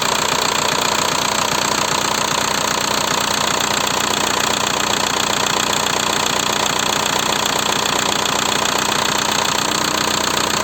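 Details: VW 1.9 TDI diesel (ALH/AGR/ASV/AHF) after oil change, idling: fast even clatter about three knocks per second; worn hydraulic lifters plus piston slap; knock nearly gone after lifter replacement, rings also needed due to infrequent oil changes.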